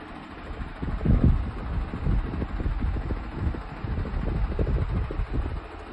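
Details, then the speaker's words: Comfort Zone high velocity 9 in metal fan: constant low rushing drone with gusty buffeting, no clean hum; loud fan noise, not quiet. "Does that sound quiet to you? Not me. I don't know what they call a quiet zone. It should be called mooy. Noisy zone."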